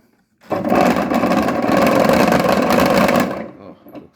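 An even motor hum with a soft churning swish, no knocking or clatter, spinning down cleanly; the washer runs quietly and properly.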